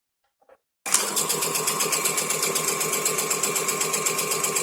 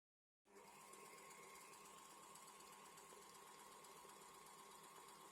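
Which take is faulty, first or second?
first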